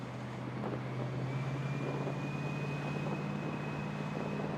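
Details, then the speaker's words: Barris Kustom convertible driving in California: steady low engine drone pulling evenly, no knocks, misses or rattles; oil pressure, fuel and temp gauges reading fine. "That's kind of fitting, I guess, to be a convertible. We're down in California giving this thing a ride."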